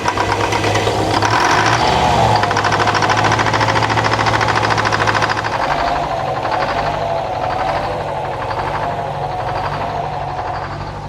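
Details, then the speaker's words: Detroit 4-71 two-stroke diesel powering a sawmill, cold start: loud roar right after starting settles into a steady, even idle beat as it warms up; normal. "Okay, while uh Old Blue is uh warming up there, you can hear the old girl, uh Paulson."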